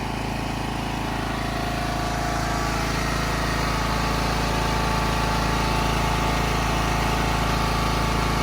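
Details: Classic Husqvarna lawn tractor started after key switch electrical fault, jumper used: steady even petrol thump about three and a half beats a second, no misses or knocks; idles cleanly.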